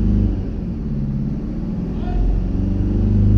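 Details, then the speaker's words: 2009 Mercedes E 220 CDI (125 kW, 152,000 km) with a loud drone mainly when accelerating, after rubber blocks were fitted at the rear exhaust mount: steady diesel rumble rising smoothly with no drone; the rear mount needs replacing. "egal was er jetzt gemacht hat es ist weg egal was du jetzt gemacht hast ist ist weg"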